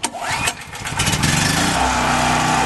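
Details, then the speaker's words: Brand-new Powermate PM0143250 3250-watt generator with a 208 cc four-stroke engine, zero hours, warm start without choke: one light pull catches right away and settles into a steady, even run; later powering a 48-watt fan at 120 V, 62 Hz. "all right since it's warm maybe it doesn't need choke"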